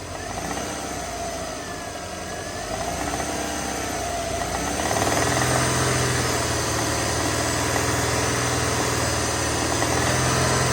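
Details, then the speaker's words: Subaru XT first start with a bad engine, coil packs and plugs fitted, on light throttle: a steady knock about four per second rises with revs, with no smoke. Suspected rod knock. "three it has some she's knocking a little bit not smoking now or anything all right guys we're going to pause the we're going to look at it further see what that is um I mean it's sounds like definitely some kind of rod knock"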